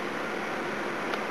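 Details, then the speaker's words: Old electric heater (about 18 years, 240 VAC, 1800W or 2400W) after cleaning and servicing its seizing fan motor bearings; smooth steady rush of air, no grinding, squeal or rattle, fan spins freely and sounds healthy, like new. "let's give it a test run see what happens a that's much better than has an Ang he by it's"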